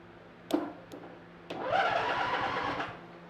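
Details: Free used riding lawn mower, wiring and safety switches being bypassed by jumping to starter: a few sharp clicks, then the starter whirs about a second with no firing; cranks but won't start, suspected bad safety switches or grounding.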